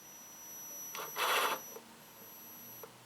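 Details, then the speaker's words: RC truck with Holmes Hobbies Torque Master BRXL ESC, armed, barely on throttle: faint, steady, very high-pitched whine just before the wheels move; ESC drive tone with quiet mode off, which can be switched on to eliminate it. "you guys hear that whining noise right before the wheels move you have the option to actually turn that off using the brxl or the BL"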